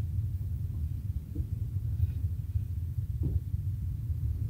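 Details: Chevrolet Spark petrol engine first started after head gasket replacement and timing work: steady low rumble running evenly with no knocks or misses; compression sounds good.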